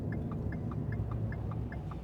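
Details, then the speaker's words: 2014 Ford F150 with over 200,000 miles driving: deep growling from badly worn wheel bearings, apparently never changed. "Yeah, the noise, it's growling. Oh. Yeah, you hear it? Whoa. There you go. Yeah, this thing needs wheel bearings very badly."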